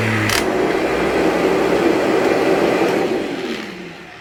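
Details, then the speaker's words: Vacuum cleaner with HEPA bag bought from a customer, lower cord hook broken, possible leaks; steady even motor whir with smooth airflow rush holding level, then winding down at switch-off, runs normally. "Now this thing obviously works like it's fine, but I didn't want it."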